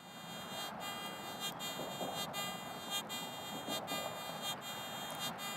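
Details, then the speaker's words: Garrett AT Gold metal detector in all-metal mode, ground balance set to 0 (factory default 2), threshold raised for audio without headphones: steady hum with warbling swell as the coil sweeps a pocket of mineralized soil, a false signal from the ground. "I've got the threshold up a little bit so you can hear the audio without the headphones, but you can hear a response from this different pocket of soil concentration."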